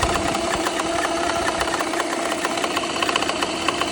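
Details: BMW N54 six-cylinder idling with light irregular ticking and clunking about three a second, no check engine light; remains after cylinder 1 misfire seemingly fixed by replacing the fuel injector; cause unknown.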